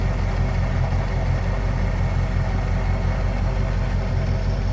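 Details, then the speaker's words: 1968 Ford Mustang convertible 289 V8, first run after sitting 30 years, cold Canadian weather and not yet warmed up; oil pressure good; deep, steady, even cold idle rumble with no misses, knocks or ticks, running smooth. "oh it's running running smooth see ya oil pressure's still good it's gonna take a little while for it to warm up it's pretty uh it's pretty cold as you can tell with my breath"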